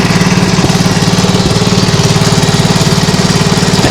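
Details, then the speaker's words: Nibbi G619 walk-behind tractor after carburettor work for hunting and a freed-up clutch: the single-cylinder engine chugs at a steady, even beat with no rattles, knocks or new noises; normal running. "hear any sounds that was you hear before"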